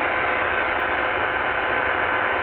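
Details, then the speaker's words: Supercharged Qodosen SR-286 AM radio with whip antenna tuned to 520: constant buzzy hiss with faint whine under the station, hash noise from the digital display, rising with a hand near the cabinet and varying with volume. "okay so you can hear the digital hash noise there on 520 there shouldn't be any hash noise"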